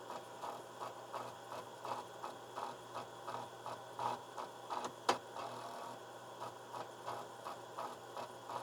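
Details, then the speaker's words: TRS-80 Model II 8-inch floppy drive, possibly unused for 30 years, run from a PC clean-head routine: steady tapping as the head sweeps, with a harder knock. The owner suspects it seeks too far and hits the end stop. "all right so i think it's actually seeking a little too far because it seems to be hitting a stop over on this end"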